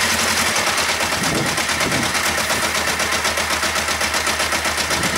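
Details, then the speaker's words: Kawasaki ER-5 parallel twin at idle, with the radiator cap off and the fuel tank set aside. A fast clattery beat of about four per second with an uneven thump that comes and goes: intermittent misfire on one cylinder. "Massive thumping, I'll bring you in closer. This sounds a bit loud in the bowels. So it's intermittently firing on one cylinder."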